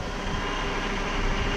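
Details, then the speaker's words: 2008 Saab 9-5 rebuilt after front-end wreck, first start after front-end assembly: faint steady power steering pump whine over engine, fading as freshly refilled fluid cycles and air works out; no leaks; gone after few minutes and steering turns. "that sound you're hearing is the power steering pump that will go away as the fluid cycles through I'm not seeing any fluid leaking so we means we did our job there and as you can tell that sound is already slowly slowly going away so just a few more minutes as that fluid cycles through the system"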